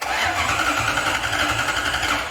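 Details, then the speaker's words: Lexus IS200 with 1UZ V8 swap and ECU Master harness/ECU, first start attempt: steady fast cranking for about two seconds with no catch; no start, fuel pump not switching on and no ignition. "Bon, la pompe à essence ne s'allume pas. Attends, avec ce bruit déjà."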